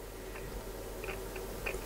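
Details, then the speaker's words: Alan 38 CB radio powered on (starts on channel 9): irregular sharp crackles pop over a low steady hum from the speaker; dirty potentiometers need disassembly and cleaning, radio also needs retuning from about 27.203 MHz. "A, słyszycie? Trzeszczenie takie. O. Potencjometry do wyczyszczenia, więc siłą rzeczy musimy to rozebrać, zajrzeć do środka."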